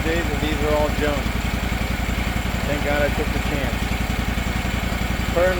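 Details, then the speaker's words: Gravely 260Z zero-turn mower (about 2006) with a Kawasaki FD750D twin, after a carburetor swap and relocking a loose idle screw: even, steady idle thump with no surging or hunting, not yet fully warmed up. "like a kitten. No surging at all. Of course, not totally warmed up yet, but sounds pretty good. Sounds great."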